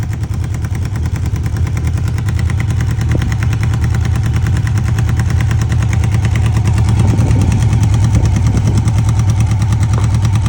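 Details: 1995 Honda CB750 Nighthawk four-cylinder at idle: heavy low thrum with irregular loud pops over the beat; abnormal engine sound, cause not pinned down.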